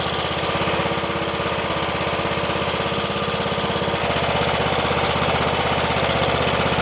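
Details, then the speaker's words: Troy-Bilt XP Horse tractor with a swapped engine, after debris sticking the carburettor float needle was removed; air filter off. Quick, regular putter holding steady speed without stumbling or surging: running properly now. "Okay, that is running way better than it was."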